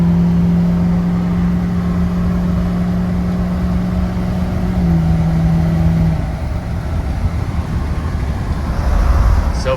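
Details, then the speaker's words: Fresh rebuilt diesel engine (warranty job, new power steering pump with slight whine) on first test drive after reaching temperature: smooth, even drone pulling hard under full throttle, no knocks or misses; runs good, normal acceleration. "I'll buy that I like that that sounds great sounded good felt good"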